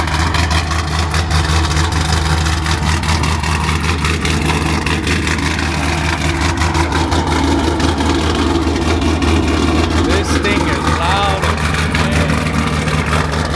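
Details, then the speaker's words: Cold start of a truck with a rowdy exhaust at night: loud, deep, steady exhaust beat with no knocks or ticks, no smoke and no leaks; normal healthy cold-start idle. "loud. Sounds super [Music] healthy. that that that's all I hear when I hear this. This thing sounds good."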